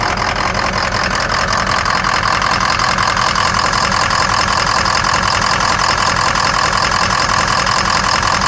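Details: 2003 Ford Excursion 6.0 diesel at idle, loud clatter with an occasional uneven beat as the #5 injector drops out, each time a small blue puff of smoke; low injector voltage and cylinder contribution, FICM voltage good.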